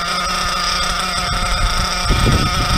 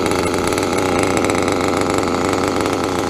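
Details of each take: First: Nitro RC car after the idle screw was turned up about 2/16: a fast, buzzy small engine holding a steady, elevated idle rather than settling low. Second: Nitro RC car with a .28 engine, needle untouched since last session, idling without throttle: high, buzzy two-stroke idle holding steady and even with no hunting or stalling; running well.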